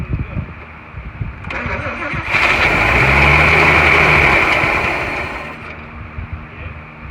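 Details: 1941 Chevy six-cylinder, first start attempt with fuel poured in and the choke held: it cranks, roars up for about three seconds, then fades and dies, starved for fuel.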